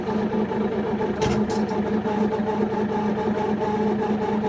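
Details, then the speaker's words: Kioti NX6010 diesel tractor at steady idle after a sub-zero, windy cold start, with wind in the background and a constant mid-pitched pump whine riding over it: cold, thick hydraulic fluid loading the pump, idled with a heated hydraulic filter wrap. "hear that pump that we we we we sound yeah that's that's the hydraulic uh fluid"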